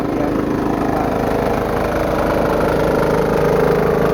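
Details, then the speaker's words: Home-built diesel air compressor at full throttle under compressor load after new belt install, around 80 PSI: steady diesel chug with loose slapping flutter; drive belt flapping a lot but staying on. "I like to run it on Full Throttle so that way it will engage the clutch the most so the clutch doesn't slip the Bel still Flats a lot but it's not Flo off"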